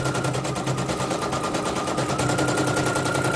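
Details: Serviced embroidery machine, previously jamming with skipping bobbin-case hook; test-stitching: steady needle rattle about three strokes a second, no jamming or skipping; running normally. Renewed jamming would mean worn dynamo shaft.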